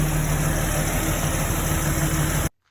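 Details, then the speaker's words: 2002 Jeep Wrangler, new 4.7L stroker, started again after the nasty grinding: a clean key crank into a smooth, steady idle with an even low rumble and no knocks or grinding. Normal idle. "but i wanted you to hear exactly how it sounds now and key crank [Music] that's the way she should sound"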